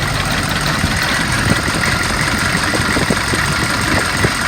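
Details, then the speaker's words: 2002 Chevy 3500 utility truck, 6.5 L diesel, automatic, idling after about 45 minutes of running without overheating: steady, even clatter with no misses or knocks. Normal diesel idle. "turned over a couple of times started right up it's been running for about 45 minutes has not overheated the engine sounds good"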